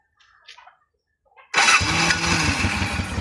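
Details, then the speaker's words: 1988 Honda Bros 400 V-twin motorcycle in for rewiring: the engine fires on the first try and settles straight into a steady, even idle; it starts easily, with a slightly rich smell and a 100 main jet noted in the carburettor. "Ayos pala no. Eyful start pala eh. Madali ng i-start."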